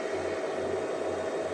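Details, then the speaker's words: Easun iCharger 8048 MPPT charge controller near 100% load, over 1200 W at about 79 A: loud steady airy fan rush with faint hum; very noisy but cooling well, normal. "Son principal inconvénient : il est terriblement bruyant. Le bruit est presque comparable à celui d'un onduleur, mais en contrepartie, il se refroidit très bien."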